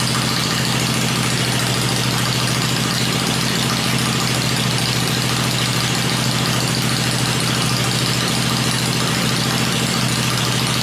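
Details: Freshly built 96-inch V-twin with Edelbrock heads on an engine run stand, cycled through revs before going in the bike; stand shakes at lower revs; deep, steady lumpy beat at low fast idle, no knocks or clatter; normal idle.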